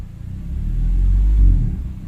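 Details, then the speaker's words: Honda Civic FD automatic: on a sudden throttle stab the engine hesitates and misfires, revs rising unevenly before climbing; intermittent, sometimes sluggish and sometimes fine. Transmission was checked and found fine, so the fault is in the RPM/engine side and the cause is unconfirmed. "Ayun yun ang palya pagka ganito ang problema kasi ng sasakyan"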